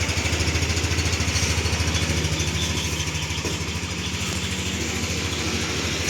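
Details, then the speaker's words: Yamaha NMAX, 2021 model first used 2022, about 84,000 km on the odometer, used scooter in good condition with fresh oil and a new rear tyre: steady, even idle with soft regular pulse, no knocks or rattles; smooth normal engine. "Dan untuk kondisi sangat baguslah ya untuk pemakaian 2021 eh 2022 bodinya masih mulus dan untuk suara mesin juga halus deh."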